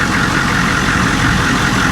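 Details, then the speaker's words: Cheap auction Humvee diesel, started cold without a jump; belt badly loose and flopping. Deep, steady idle with even chug, no misses or knocking. Runs great; oil pressure 30 psi, temperature cold, volts fluctuating with the flopping belt. "It runs great. Yeah. Okay."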